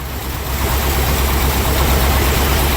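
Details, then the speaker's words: Ford F-600 at -22F, just started after a long time not running, cold on choke. Deep, uneven rumble surging and sagging as if about to die while a rag smothers the carb to pull gas through. Little smoke; rough cold idle. "Okay, maybe it's not going to die. But if you want to get it to run, just smother it out and it'll pull gas through the carb and uh that'll make a cheese."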